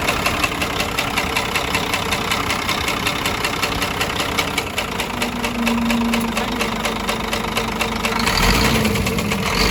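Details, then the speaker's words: Scania truck with a DC13 diesel: idling with a sharp, uneven tapping over the clatter, localized at cylinder 5. Caused by a rocker arm retainer broken in three places, leaving the rocker arms loose; the camshaft is undamaged. "Сам распредвал не поврежден, в хорошем состоянии, но стук у нас исходил именно от того, что у нас поломано и не прикручено вот эти коромысла, и они свободно гуляли в этом двигателе."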